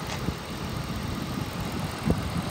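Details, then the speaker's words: 2008 Jeep Grand Cherokee Laredo 4.7 L V8, warm after running about an hour without overheating; a rev, then a low, steady idle rumble settling evenly with no misses or knocks, revs responsively and idles smoothly. "i'm gonna rev it up so you can hear the motor the motor sounds good [Music] the motor sounds good it revs up nice very responsive and it idle smooth"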